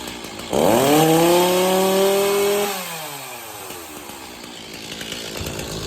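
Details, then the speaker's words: Stihl MS260 chainsaw after refitting popped-off pulse line (had run rough and stalled after pinching in a tree): crisp rev climbs, holds, winds down cleanly with no stumble; running properly. "So there you go, the chainsaw's running absolutely good again. It's a very simple thing, but that pulse line popping off, it will not run properly."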